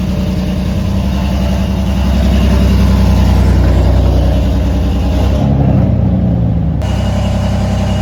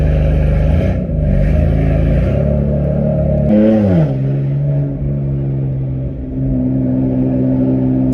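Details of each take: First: BMW M4 after a DIY spark plug upgrade, started a few hours later: uneven, stumbling, lumpy idle that never settles, with check engine light and drivetrain malfunction; misfire traced to plugs gapped incorrectly. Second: BMW M4 on a drive with new spark plugs, check engine light cleared; engine pulls cleanly and strongly, tone climbing smoothly with crisp, even gear changes and no stumble, healthy under load, just before an unexplained pop sound.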